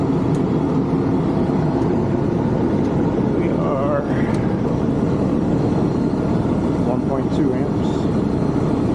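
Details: Condenser of a 1986 Rheem AC (about 37 years old) that was barely blowing air, running after a fan motor change to dry soaked coils: steady, even fan rush over low compressor hum, no knocks or rattles; normal running.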